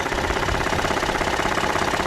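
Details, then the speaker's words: 2013 Ford F-150 3.5L EcoBoost at idle, microphone close to the engine: quick sharp metallic rattle-knock in step with engine speed, harsher than normal injector tick; the high-pressure fuel pump has felt play, unclear whether pump or shimming. "but that that rattling that knocking rattling noise that's the one that concerns me that's not normal in my opinion that's not normal that's too excessive"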